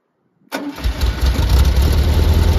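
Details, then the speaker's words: 1973 VW Squareback air-cooled engine after rebuild; cranks briefly, catches at once and settles to a steady even idle with no hunting, though carbs are worn. "but now running lovely yeah these carbs are worn"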